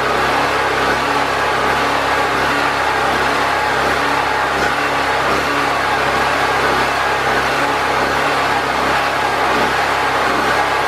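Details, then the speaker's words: Predator 4000 generator after fuel and carburetor troubleshooting, with air box and air filter reinstalled and still on old oil: an even, unbroken drone at constant speed with no surging or stumbling. It runs consistently. "so we got the generator running and it's running consistent I've cranked it up and turned it on let it run for quite a while"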